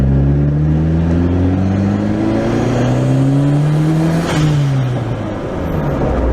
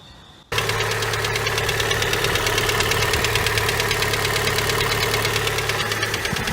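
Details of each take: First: Honda Prelude on its first drive: a clean engine note rising steadily through the gears with a brief shift dip and no knocks or rattles. It pulls smooth and the AFR is good. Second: Honda Prelude engine (no hydraulic lifters in the head) at idle: a hard, uneven rap about three times a second that sounded like head noise. Teardown found a gouged, damaged piston; it was piston knock.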